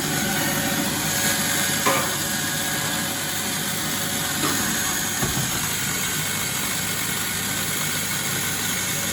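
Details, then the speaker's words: Bosch WFF1401 washing machine after replacing motor bearings and brushes, on fast spin: loud gritty rushing roar with no clean hum; spin still sounds rough, unclear whether better than before. "So I would say that sounded pretty rough. Whether it sounds better than before, I won't know until I get in to edit the video and I can compare, and I'll put it here maybe."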